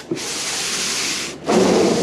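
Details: Vintage Ford Courier pickup windscreen wipers: two smooth rubbing sweeps of the blades across the glass, the second a bit louder, with no clunk or stall; wipers work normally.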